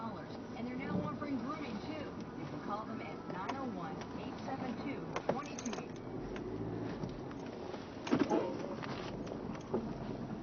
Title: 2012 Hyundai Elantra, Groaning, Whining, Creaking noise when turning left.